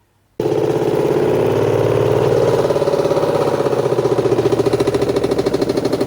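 Loud, rough drone with a steady thumping pulse that grows stronger as it spins, from cloth wrapped round the lower shaft.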